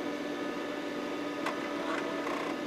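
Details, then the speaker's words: Micron Home MPC PC on its first boot since the factory, cover off on the bench, CMOS battery replaced: over a steady fan hum, a few short clicks and a brief buzz as the floppy drive does a normal seek after the RAM check. "The floppy drive did its little seek."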